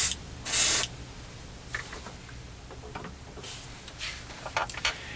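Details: Short, even hissing bursts of air and paint with no spitting, popping or sputtering: an airbrush spraying cleanly onto a scale model car on its first paint flow, with normal spray.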